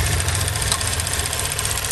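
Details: 2016 Chevy Cruze 1.4L Ecotec turbo, run low on oil, reduced engine power and camshaft position/timing codes: idle pulses unevenly, lumpy and shaky, no distinct knock; rough idle, cause suspected, not confirmed.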